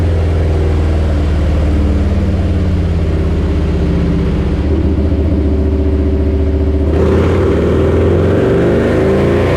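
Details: Harley-Davidson Lowrider S, Milwaukee-Eight 131ci Stage IV kit, stock compression, Cycle-Rama 512 cam replacing Screamin' Eagle 517: full-throttle dyno run, deep V-twin roar held hard under load, strong even pull then throttle off, no misses; made about 147hp and 149ft-lb, normal.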